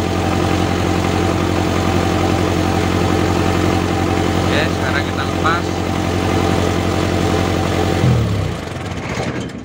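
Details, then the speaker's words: Toyota Dyna Rino 115PS diesel, revved up, positive battery cable pulled as an alternator test: steady idle dies within about a second, showing the alternator isn't charging. "mati mesin teman-teman jadi yang menyebabkan di mobil ini tidak mengisi dinamo Strom atau alternatornya teman-teman"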